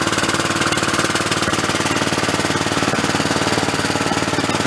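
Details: About 20-year-old Cub Cadet riding mower single-cylinder engine, first start after repairs with choke and throttle: chugs at a quick even beat around 220 per minute with no knocks or misses; runs normally.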